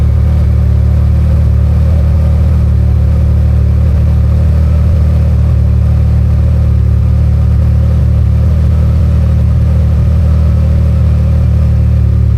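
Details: Can-Am Maverick R with Evolution Powersports flex fuel system, running while E85 is added to tank of 91 octane (ethanol reading rising from 15% toward 80%): steady, even low drone without stumbles or misses; runs smoothly.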